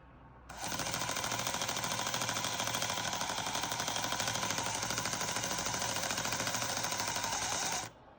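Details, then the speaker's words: Old 00 gauge motorised model train chassis, motor that had jammed, after oiling: a fast, harsh rattling buzz and loose clatter over the whine at steady speed; cause of the rattle unknown. "It's a bit rattly, I don't know why it's so rattly. Yeah. So it's a little engine which is presumably working."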